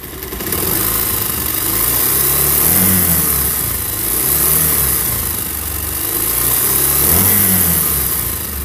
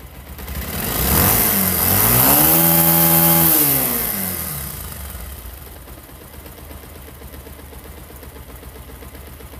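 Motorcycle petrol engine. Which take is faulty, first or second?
first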